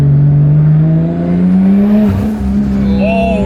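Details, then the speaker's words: 1JZ-engined Toyota Chaser under full-throttle acceleration: exhaust note much deeper and more defined, climbing smoothly with light turbo whistle near the end; normal healthy acceleration. "so first thing i'm noticing is that the dose is like way deeper i can hear it much like it's much more defined"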